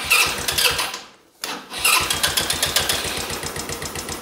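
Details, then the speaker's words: Buggy engine with the idle screw backed off and the air mixture corrected but not quite right: catches, dies for about a second, then refires into fast even popping; stalls at idle, idle speed possibly set too low. "habe es getestet der funktioniert ja ist halt die Frage ob Standgas nicht zu niedrig ist weil ich das zurückgeschraubt habe"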